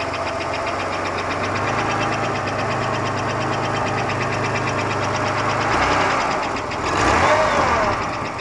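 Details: 1991 Buick Park Avenue 3.8L V6 idling right after start: a loud, fast metallic knock over the hum. It appeared half a year ago, is unchanged hot or cold, and persists with the alternator/accessory belt removed. Oil pressure and performance are normal; source unidentified.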